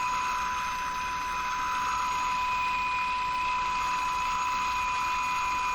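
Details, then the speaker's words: Jewel Model 505 vacuum tube clock-radio while adjusting IF can screws during alignment: steady high-pitched whistles over even hiss; oscillation at the tuning sweet spot, owner suspects a feedback loop. "Sounds like it's just breaking into oscillation now, right here."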